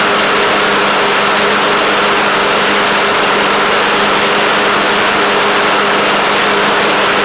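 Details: Craftsman LT1000 riding mower with Briggs Intek engine giving a smooth, constant hum at a steady pitch, with no surging, knocking or misfires; it runs well and shifts great. A deck belt fell off and a double-stack pulley is suspected bent.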